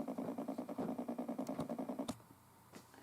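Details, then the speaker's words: FPGA board generating a 1 kHz sine through an amplifier, now powered via a separate USB cable and breadboard power supply instead of noisy computer USB power: clean tone pulsing about eight times a second, no hiss or hum; noise fixed. "so now the problem is solved if i turn up the volume here we can hear the signal clearly there's no noise"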